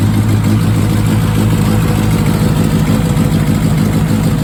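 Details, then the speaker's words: 1969 Mini Cooper S 1275 with Pertronix ignition, cold after sitting a couple months, warming on choke: steady, slightly raised idle with a low even drone, revs still coming down, probably set a little high; normal fast idle on choke. "all right now what do we got we got still coming down a bit probably set a little high before I was reading the 3000 RPM definitely a big difference"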